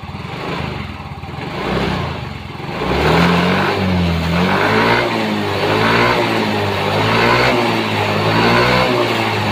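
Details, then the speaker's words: Yamaha Mio M3 fuel-injected scooter that previously stalled or stumbled when throttled, now idling and revving up and down smoothly after charging the battery. "Coba kita gas kita tarik gasnya kalau sebelumnya tidak mau digas setelah dicharger Apakah dia mau"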